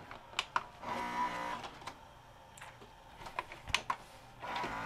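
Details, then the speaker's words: Sharp VC-H972 VHS VCR, bought new around 1996–97, won't load: repeated high whirring and clicking bursts as the loader strains; cracked worm gear slipping on the loading motor shaft, fixed without parts. "Yeah, it's just slipping on the shaft. That's why it's so noisy."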